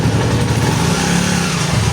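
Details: TMX155 single-cylinder motorcycle after reassembly fix (gears levelled): even engine note as first gear takes up and the clutch is slowly released, no grinding, unlike the loud noise before the fix; gear engagement healthy.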